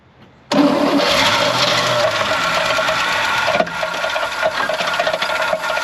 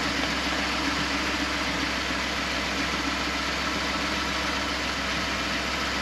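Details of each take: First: 1970 Chevrolet C20 305 V8, sat 13 years, started on fuel poured in the carb on a 40–45°F day: it catches abruptly, with a loose, uneven metallic rattle under idle; owner suspects a nut rolling in the bell housing. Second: 1970 Chevrolet C20 V8 sat 13 years, cranked on jumper cables after dead battery, around 40–45°F: starter spins the engine at a steady even pace with no hesitation; turns over freely.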